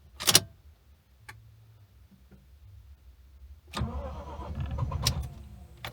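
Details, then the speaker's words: Lexus IS200 drift build, first start after a fuel pump replacement: a short crank, then it catches, runs roughly for a couple of seconds and dies again. The owner doubts the fuel pump was the real fault. "Oh, it died. Okay. What? It's dying. Oh, it's dying. Oh, what? It died again. Not looking promising."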